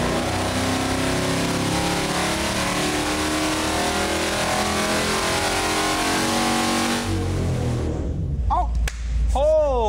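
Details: Rebuilt AMC 304 V8 from a Javelin with new heads, multi-port fuel injection and 8.34:1 compression, first dyno pull: a hard, even full-load roar holding strong to the top, then falling away as the throttle shuts; 328 hp at 5400, 329 lb-ft.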